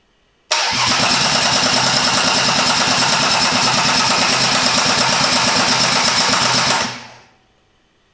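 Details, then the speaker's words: Newly rebuilt Mercedes M104 engine cranking on a more powerful replacement starter with an eight-year-old battery that is starting to slow: strong, even cranking with steady compression beats about three per second, no knocks or rattles. Oil pressure seen good; normal cranking. "so I'm happy with this engine it's sounding good although these starters do sound differently they are slightly more powerful than the original"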